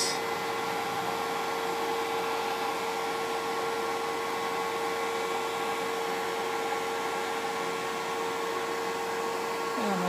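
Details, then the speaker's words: Eberspächer B4L/BN4 gasoline heater on a Pinzgauer 710K, cover off, restarting at about 30 °C: fuel pumped to the burner, steady blower whir and constant burner flame hum, no surging or pops; normal running. "It probably sprays it there, and we can hear the humming of the flame."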